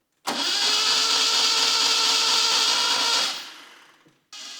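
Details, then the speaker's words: 1967 Alfa Romeo Duetto Spider, freshly rebuilt engine just reinstalled: the starter spins steadily for about three seconds with no firing. There is no fuel delivery because the fuel lines to the pump were fitted backwards. "after a bit of cranking i realized my fuel lines to the pump are on backwards and so i switched those around and after a little more cranking i got fuel to the pressure regulator"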